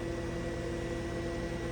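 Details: GE-Hotpoint refrigerator after condenser fan motor replacement: a smooth, steady, mid-pitched hum with no rattle or scrape from the newly installed motor; normal condenser fan running.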